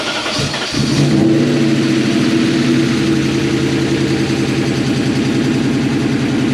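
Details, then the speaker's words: BMW E39 M5 S62 V8 after rod bearing replacement, first start with oil pressure confirmed: catches within a second, then settles to a smooth, even idle with no knocking or ticking; normal start and idle. "got all pressure thank god for that sounds fine"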